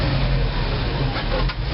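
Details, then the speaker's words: 1986 GMC Blue Bird bus, 366ci big block with 4bbl Holley carburetor: runs low and slightly uneven only with the choke pulled, dips and dies when choke pushed in and then won't restart; owner suspects a blocked passageway or jets. "put the choke all the way in and she'll die and then once she dies she won't start and see that does nothing"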